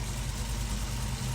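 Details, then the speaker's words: 2018 Camaro ZL1 V8 idling smoothly with a steady low beat, no stumble or miss, after spark plug and coil-wire work following a flashing check-engine light and P0300 random misfire. Normal idle. "Uh, the car is running pretty good, I would say. Nothing different than I I'm not noticing anything different right now."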